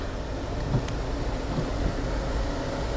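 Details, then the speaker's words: 2010 Honda Odyssey with A/C shutting off in reverse; after jumping power and ground at the rear AC module connector, the rear blower runs with a steady low airy rumble, no ticking, rattling or surging: normal blower operation. "And the AC in the back's working."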